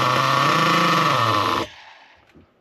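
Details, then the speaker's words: Nitro RC car engine after low-speed needle tuning: steady, even high-pitched buzz at idle with no stumbling, cutting out cleanly; pinch test raises RPM and shuts off at four seconds; correctly tuned, normal idle. "That's actually bang on. Now, that is really, really good. It's idling nice. It sounds good."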